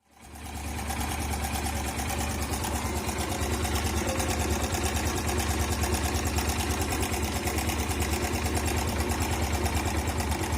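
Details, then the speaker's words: Motorcycle engine at idle with a busy metallic rattle over every beat; the timing chain has gone slack because the tensioner is not holding it taut, before manually adjusting the tensioner; timing chain rattle. "जैसा कि आपने सोना के engine में कितना ज्यादा शोर है लेकिन इसका जो टेक्सचर है वह सही से काम नहीं कर रहा था"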